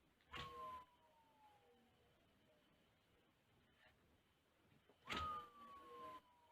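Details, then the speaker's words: Newly mounted 1000W 48V front hub motor wheel on Mk5 e-bike conversion, spun twice: whirring tone sliding steadily lower as it coasts; noise source unknown, owner wonders about poor balance and hopes it settles. "Now, as far as balance goes, I had heard that these things were horribly balanced. I hope that noise settles down."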